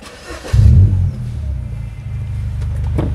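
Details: Mini Cooper Convertible with an aftermarket sports exhaust, after a fix for the pipe knocking against the body (the owner had thought it was suspension noise). Heard from the cabin: the engine catches and settles into a deep, smooth note. No knocking remains.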